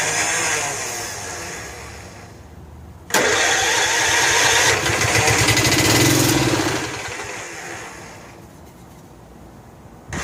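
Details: Snapper Hi-Vac commercial mower, Robin/Wisconsin engine, cranked on jumper pack after a little fuel primed: starter cranks in bursts about two beats a second without firing; no fuel getting in, choke not found, starter may need lubrication.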